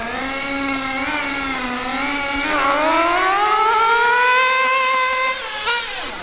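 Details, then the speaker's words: Mac 28 nitro engine in a Hyper 7 RC car, cold weather: screaming note climbs smoothly and holds at full throttle with no sputter or bog, blue smoke; healthy high-speed needle setting, slightly rich. "so for me that there is what I would consider to be a good maybe slightly rich but that's good in this cold weather that's what I consider to be a good highp speed setting"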